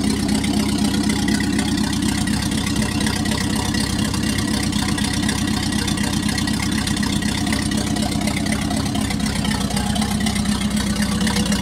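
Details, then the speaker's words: Packard 356 marine engine (nine-main-bearing, circa 1950), first run after rebuild, excess cylinder oil cleared out, final adjustment pending: steady, smooth, even low beat with no knocks or misses; normal running. "so first run after rebuild so we had lots of oil on the cylinders and that all had to be kind of cleaned out so i think we're getting there now we'll do a final adjustment and be good to go"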